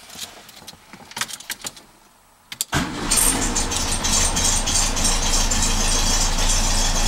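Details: 1967 Beetle after a pinched starter signal wire was repaired with a new connector and heat shrink: a few light clicks, then a short crank and the engine catches at once, settling into a smooth, steady idle.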